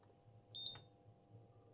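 There is one short high-pitched beep over a quiet room hum, which is the unit's error alert on enabling output with no load connected.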